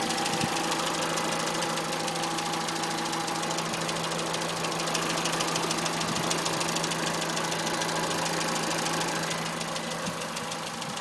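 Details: 2006 Citroën C2 VTS petrol engine idling with a steady, sharp, horrible tapping of about three taps a second over its hum; cause unknown.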